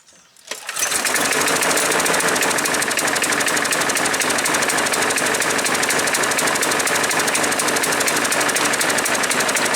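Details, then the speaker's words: Craftsman 6.75 Platinum 21-inch push mower with automatic choke, no primer bulb, full oil and fresh gas, black smoke reported: runs loud and rough at about three pulses a second; owner suspects choke sticking on, flooding engine. "Yeah. Sounds to me like the automatic choke is sticking on and it's flooding the engine out."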